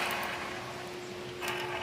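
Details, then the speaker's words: Honda ADV160 scooter engine, rocker arms removed, camshaft turned slowly by hand: dry, rough grating rattle, the same noise heard when running; worn camshaft bearing. "Rinig niyo yan? Yun yung tumutunog kapag umaandar"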